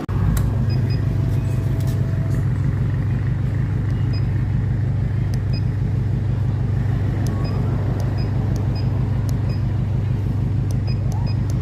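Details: Honda Wave 110i after engine rebuild for a worn engine and noisy cam chain, idling: low, steady single-cylinder idle with an even thump, no rattle or chain slap; a healthy idle.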